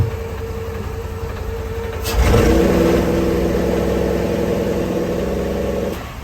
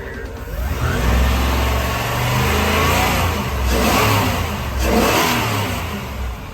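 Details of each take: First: 1999 Tiara 2900 Coronet boat, Crusader 7.4 L29 MPI engine with MEFI 2 and HEI ignition: revved, it holds flat near 2800 rpm with a slightly uneven beat; the scope shows primary ignition cutting out, traced to a disconnected ECM ground. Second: 1999 Tiara 2900 Coronet boat, Crusader 7.4 L29 MPI marine engine with MEFI 2 and GM HEI ignition, after reconnecting a ground wire left off during a transmission repair and rechecking timing: revs climb and fall smoothly, no stumbling; the former 2800 rpm limit is fixed.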